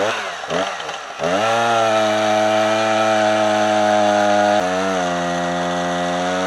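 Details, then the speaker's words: Husqvarna 455 Rancher chainsaw on owner-mixed 50:1 fuel, after a new spark plug: holds a steady high drone in the cut, then pitch sags and stays low. It is bogging and gutless; cause unconfirmed. "to me that's not acceptable performance from s gutless"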